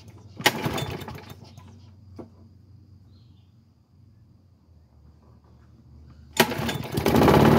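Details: Craftsman mower, first start in nine months, starter cable held with tape and zip ties: short cranking burst, quiet pause, then the engine catches and settles into a steady run; normal start after long storage.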